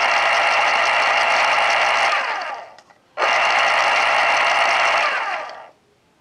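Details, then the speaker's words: 1980s Panasonic KP-110 pencil sharpener motor after oiling, following 8 years in a damp basement: smooth, even whirring with low steady hum, then a clean few-second spin-down; motor runs freely, normal after lubrication. "exactly like it should and it spins down nice it actually has a moment or so of spin down time so everything with that is working good"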